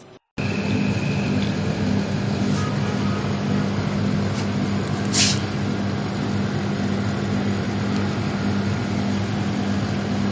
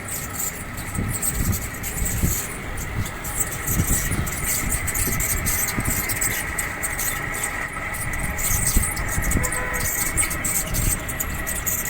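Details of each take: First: 1.5-ton split AC outdoor unit fan after bearing replacement: steady even whir with low hum, no rattle or grinding; fan now runs smooth and quiet. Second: 1.5-ton split AC outdoor unit fan before repair: steady whine over uneven rumbling rattle as the fan spins; fan motor bearings are worn, later replaced.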